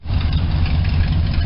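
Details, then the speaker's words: Small engine just after fitting new compact points and condenser gapped at 0.018, timing not yet adjusted; fired right up: deep, steady low rumble with even firing pulses, no misses; normal idle. "obviously I need to adjust the timing for the new points but she fired right up um didn't even really crank ove"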